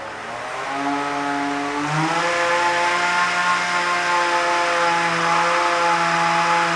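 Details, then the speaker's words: Belt-driven weapon of a beetleweight combat robot with plastic pulleys, during an earlier spin-up test; motor whine climbs then flattens around half power instead of winding up, sounding laboured as the weapon belt slips and power isn't transferred. "mmm interesting kind of sounds like it's not it's like laboring a little bit let me take a look and see what happens so as you can see it just didn't really ramp up the way it was supposed to"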